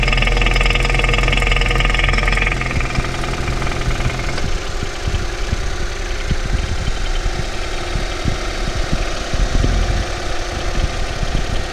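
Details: Ford Focus 3 facelift, 1.5 EcoBoost 150 hp, bought new, 18,000 km, not chipped, always AI-98 fuel, oil changed every 5,000 km; sharp ticking knocks over idle, two or three per second, internal engine knock of unknown origin.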